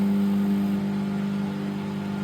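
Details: Microwave test run after switch repair, heating water: steady low electrical hum with constant tone and even fan whir, no buzzing or arcing; magnetron and transformer running normally.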